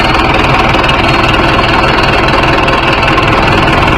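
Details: Mahindra 605 S 57 hp tractor diesel idling during an engine oil and air cleaner service: loud, steady diesel idle with an even chug, no knocking or misses; engine sounds healthy.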